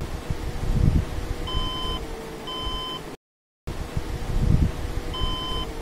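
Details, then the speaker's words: Desktop computer with red power light flashing at startup: two clear short beeps at a steady mid-high pitch, a pause, then repeating; repeated POST beep code, said not to mean a dead motherboard. "और यहां पर हमारे system में बीत दे रहा है to to to इस तरह से भी दे रहा है"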